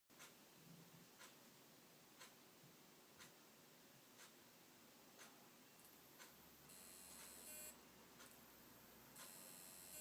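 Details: WD My Book Live NAS drive in a quiet room: sharp clicks about once a second, joined by shrill one-second chirps every few seconds, a strange abnormal noise.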